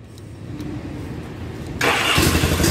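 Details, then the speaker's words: 1976 Yamaha, cranking weakly with the choke off and no firing at first; it then suddenly catches and roars up. Hard starting without choke. "I think that's just reserved the chokes right there but let's see if it starts without it nope I don't know how this thing works"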